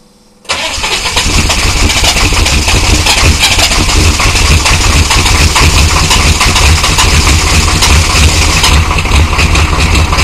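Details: 1993 Chevy dually 6.5L turbo diesel 4x4, smoky startup without block heater: cranks, catches and settles into a rough cold idle with uneven clatter on top; an engine knock of undetermined cause.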